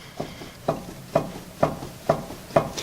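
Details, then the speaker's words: 2004 Chevy Tahoe Z71 jacked up, front wheel spun and rocked by hand; dragging, squeaking and sharp clunks about twice a second from a loose, worn front wheel bearing hub, other front-end parts checked okay. "The wheel's kind of dragging and squeaking as I spin it. The other telltale sign that we have a bad wheel bearing here is that the wheel is actually loose."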